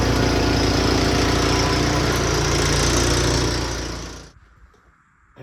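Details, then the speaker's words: Returned snow blower single-cylinder engine after repair, clearing driveway under load: steady even drone, no misses or knocks, winds down cleanly at shutoff; normal running. "we're good to go it seems to run just fine"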